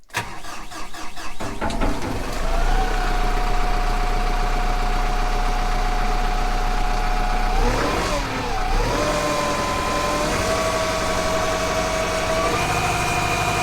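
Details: Kubota M15GX diesel after engine rebuild, restarted after its first run: cranks briefly, catches cleanly, then settles into a steady, even clatter with no knocking or stumbling; healthy idle, actual oil pressure still to be gauged.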